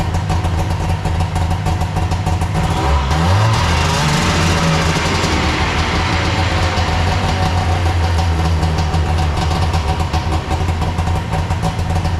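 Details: Arctic Cat Puma Deluxe 340 two-stroke snowmobile after cleaning and refitting the carb enricher plunger and cable: a brief rev blip settles into a steady, even idle with no misses or knocks; normal idle.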